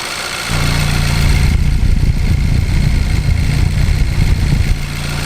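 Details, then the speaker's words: 2013 Kia Pro_ceed GT, warm engine at idle, not misfiring when warm; heavy uneven chuffing blow-by pushing out of the open oil filler, cause unknown, compression test next, injectors already checked. "it is blowing quite hard out of that hole this might not be good at all let me compression test it"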